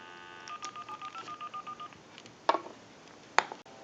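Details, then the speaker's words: AT&T 530 Trimline telephone after repair (transmitter replaced), dialing a stored time-and-temperature number; about a dozen short even touch-tone beeps, clean and steady in pitch: normal DTMF dialing. "and it just dialed out the time and temp number."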